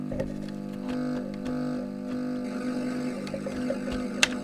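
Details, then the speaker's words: Nintendo Famicom, powered with cartridge, heard through TV; steady low buzzing hum with faint ticks, unchanging, noise entering via the microphone input circuit near R3, to be muted. "definitely lots of noise there that we don't like."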